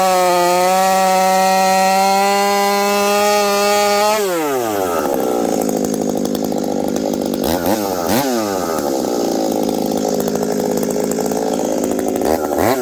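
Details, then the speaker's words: Husqvarna 372XP chainsaw fitted with a new bolt-on UFO pipe, warmed up at about -30 to -40 °C, cutting frozen ash: steady full-throttle scream, bogs into the cut and warbles evenly; clean, healthy four-stroke under load, slightly rich. "this thing nice healthy four stroke I probably could have leaned it out even a little bit more"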